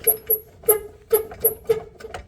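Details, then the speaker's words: 2007-2013 Nissan Sentra with subframe bolts removed, subframe shifted by hand: sharp knocks about every half second, the same noise heard when reversing and braking; torn subframe bushings let it move, replaced with Problem Solving Bushings. "yeah so you can hear that same sound as I shift that around so I think that is what is causing the sound"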